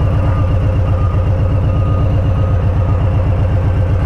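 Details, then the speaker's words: Warm Harley-Davidson Street Bob, Stage 1 tuned, idling in the street: lumpy V-twin beat with an off rhythm, RPM surging to about 970–1020 then settling near 1000; a throttle blip levels it out briefly before the surge returns. "you can see the RP M are surging up to like 970 you can hear kind of that off Rhythm RPM now watch me blip the throttle and it went ahead and leveled back out and then it's going to start again"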